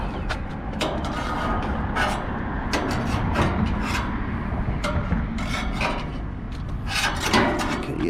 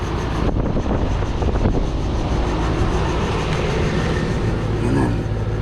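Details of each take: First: AC condenser fan after a 1:1 fan assembly swap, heard outdoors at startup: a dry scraping rub and irregular sharp ticks as the blade catches something. The owner suspects the black wire was left without enough slack and is touching the blade. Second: AC condenser fan assembly after a 1:1 replacement swap: steady, even rushing of the fan at constant speed with no rubbing or ticking; the condenser fan is running normally.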